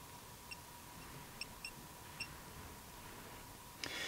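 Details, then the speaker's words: Hioki DT4256 multimeter measuring a large capacitor bank over its 10 mF range: quiet room with a few short high chirps over several seconds as it autoranges; normal behaviour. "But did you hear the little chirps along the way?"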